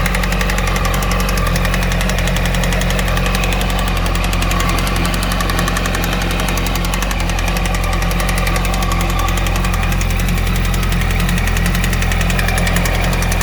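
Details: 2008 Yamaha YZF-R1 (RN19) four-cylinder idling with an uneven, loose ticking knock over the exhaust beat; engine knocking, cause unclear.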